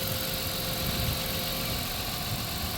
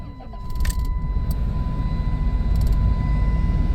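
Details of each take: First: 1997 Dodge Caravan LE V6 at 239,722 miles after replacing melted coil pack with a used one and a donor wire: smooth, even idle on all six cylinders, no misses; normal idle. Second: 1997 Dodge Caravan LE after fitting a brand-new coil pack to replace melted ones: engine catches then idles lumpy and stumbling, check engine light still flashing, still sounds like a miss; ignition coil pack misfire, root cause unresolved.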